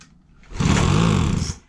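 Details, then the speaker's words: Craftsman 25cc two-stroke gas blower with damaged carburetor adjustment screws and leaking fuel-cap vent: on starter fluid it catches and buzzes about a second then sputters out; won't run on its own, carburetor setting suspected. "and it dies down. Okay, so look, 1, 2, 3, 4, 5, 6. Yeah. Let me spray it one more time for good luck. Yeah, it's not gonna go. Yep. Oh. And it dies down."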